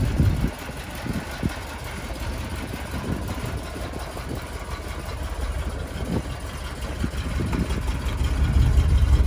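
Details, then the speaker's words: Cold start of a neglected 1985 Winnebago Chieftain 22 with a Chevy 454 V8 and a cleaned Quadrajet four-barrel carburetor, after camping: the engine catches and settles into a deep, steady idle that slowly rises as it warms, no knock or miss; normal. "well i got the pull on the razor got mom's butt in it listen to that cold start"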